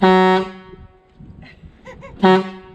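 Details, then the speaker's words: 1975 Ford F750 pipeline truck air horn, pulled by chain: two loud, steady, deep blasts with a pause between; the horn sounds strong and healthy. "i guess we'll have to let the kiddo honk the horn if he wants to all right go ahead kiddo honk the harn pull on the chain pull pull back towards you"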